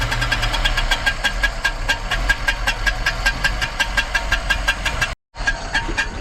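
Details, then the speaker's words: Volvo 245 DL abandoned 19 years since 2005, first start, idling on old fuel: loud sharp knocks about five per second over rough idle; suspected something catching a shield at the bottom, not confirmed. "I think it's that Shield at the bottom there it's something catching a shield or something"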